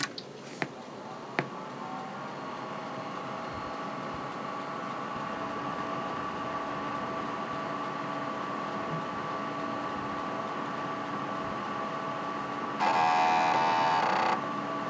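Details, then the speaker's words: Packard Bell Legend 822CDT after floppy drive replacement: steady fan hum then about 1.5 s buzzy grating floppy head seek at power-on self test, louder than the previous, working drive; normal. "that is um a lot better sounding than the last drive even though the last drive worked perfectly i just couldn't stand the fact that it wouldn't make that sound loud enough during the power on cell test"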